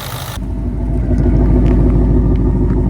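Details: Ford Mustang GT (S550) with replacement V8 engine, awaiting final tune: deep, even rumble building smoothly as revs rise, no knocks or rattles; engine sounds healthy.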